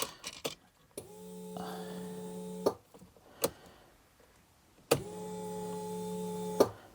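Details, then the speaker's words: TVR Griffith 500 V8, first start after lots of work and winter storage, about 25 litres of fuel added; key cycled in cabin: two short steady electric hums with key clicks, fuel pump priming normally, fuel heard returning to tank. "Let us cycle the key. I hear that's building fuel pressure."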